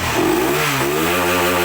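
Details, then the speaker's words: Honda CBR motorcycle after head rebuild and piston replacement to cure head clatter and exhaust smoke: clean rising rev, smooth steady exhaust note, no ticking or clatter, no more smoke; normal revving. "Jadi ini sudah halus ya. belakangnya juga sudah tidak berasap"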